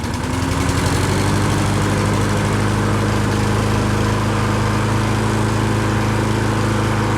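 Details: Lawn Boy push mower after a carb clean and a flywheel brake pad replacement: the small single-cylinder engine chugs steadily at an even speed with no screech, hunting or misfire. Runs normally.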